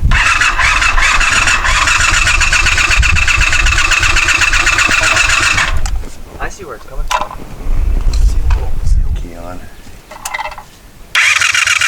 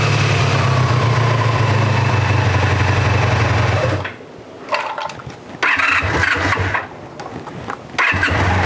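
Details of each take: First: 1984 Honda VF500F Interceptor after carburetor rebuild, fresh ethanol-free fuel, fuel leaking from carbs: starter spins steadily with a whirring drone but never fires; crank no-start, possibly from swapped spark plug wires, with a carb float bolt screw possibly loose. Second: 1984 Honda VF500F Interceptor four-cylinder after carburetor rebuild, on choke just after starting, carburetors dry: even idle at a steady pulse of about four per second for several seconds, then quieter; smooth and healthy.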